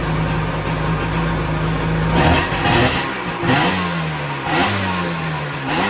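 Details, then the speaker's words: 1997 Sea-Doo XP 800 two-stroke after carb rebuild: low, lumpy idle that settles slightly higher after short blips. Idle speed needs raising a little; no more big white smoke. "So in theory, watch that thing here. Needs to go up a little bit more."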